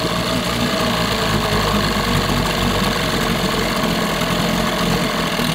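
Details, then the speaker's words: 1988 Johnson Evinrude 6 hp two-stroke outboard, idle screw set low: busy, ragged, stumbling idle that never settles; plugs read hot and dry, indicating fuel starvation at low idle, with the plastic-top carburetor suspected. "really doesn't like this low idle running stay running sure all right yeah something's off with something keeps going keeps going"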